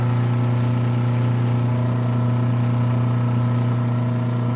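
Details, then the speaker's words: Newly installed Badger half-horsepower InSinkerator garbage disposal, switched on with the water running. Even, steady low hum with no rattles or grinding; running freely, and no leaks underneath. "Water's running, hit the switch. That's the sound we want. Check underneath. Make sure nothing crazy is going on."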